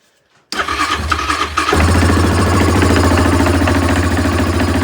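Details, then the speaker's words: 2024 Yamaha Grizzly 700 ATV, about one year old, cold start after sitting a few days at about 40°F or colder: starter cranks, engine catches into an uneven, lumpy thump about three per second; always runs rough when first started. "always sounds rough when first drank it"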